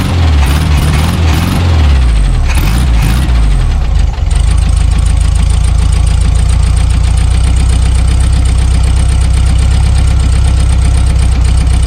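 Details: Abandoned 1974 VW Super Beetle after new points, condenser, rotor, cap, plug wires and wiring repairs: cranks, catches, settles into steady even idle with consistent beat, no stumbles; oil and generator lights off.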